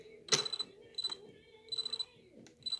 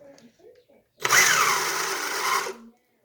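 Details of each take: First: RC rally car after rollover crash, ESC solid red light: faint high chirps in short bursts on trigger, motor never spins up; stuttering, not driving. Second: Homemade RC rally car running two 5800 mAh LiPos in parallel, original motor reconnected to the ESC after a crash to test it: short even high-pitched motor whir, steady without cutting out; ESC and motor still good.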